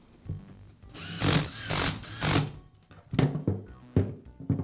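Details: Power shear after replacing the armature ball bearing (part 330003-09): smooth whirring in short bursts over music, no squeal or grinding.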